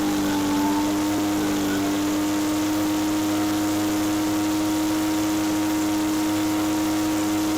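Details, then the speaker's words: Echo PB413H two-stroke backpack blower on a new aftermarket Chinese carburetor whose high-speed screw lacks lean adjustment; steady high drone with a faint uneven burble; four-stroking at full throttle, set just on the rich side rather than lean. "I want the high speed just off the four-stroke, so it's right at that verge, because you don't want it to be lean. You'd rather have it on the rich side. When it's burbling in four-stroke, that means it's a little bit rich,"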